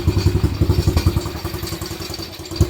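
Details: Daughter's quad, unused almost a year after stopping on the trail, exhaust repaired: lumpy, uneven idle with thumps that swell and fade, smoking; owner says the carburetor needs cleaning, made this sound last year; rough idle.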